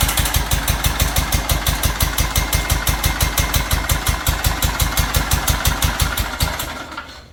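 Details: Toro Titan HD with Toro twin-cylinder engine at half throttle with choke: lumpy uneven thumping about three per second with harsh internal clatter, dies within seconds; running on one cylinder, valve likely fell in, bent, breaking head and scoring cylinder wall.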